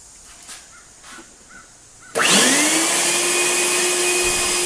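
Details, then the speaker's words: Craftsman 12-gallon wet/dry vacuum with no suction complaint: motor spins up to a steady high siren-like whine with airflow hiss, strong suction; owner suspects junk in the fan. "well it's got an almighty amount of vacuum on it because it just sucked that piece of paper right off the side of the box and you can hear that it makes it not vacuum it just makes it into a siren"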